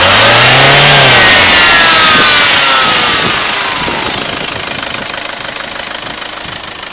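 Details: HDi diesel engine: high thin whine rising with revs and falling as the engine winds down; not a supercharger, cause unidentified.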